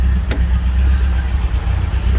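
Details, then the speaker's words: Rambler after swapping ignition points: settles into a low, even rumble with a steady beat, no misses or knocks; owner says it's running okay and now revs quickly. "All right, there we go. Points swap achieved. Sounds like it's running okay."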